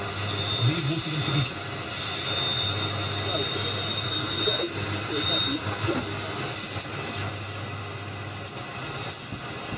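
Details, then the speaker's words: Chapman S6 valve tuner on first check, medium wave, high voltage raised to 200 V drawing 26 mA: faint station buried under heavy hiss and crackle over low hum; receiving but poorly, nearby electronics may interfere. "it's clearly receiving something but it's pretty poor so"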